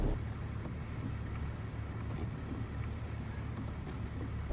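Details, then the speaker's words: BMW X5 E53: whistling squeak from the lower steering column where the rubber boot exits the body, heard inside and outside the cabin while driving; three short high-pitched chirps about every 1.5 s, symptom of a binding steering shaft universal joint causing the steering to stick. "также добавлю что один из симптомов это свистящий звук в нижней части рулевой колонки"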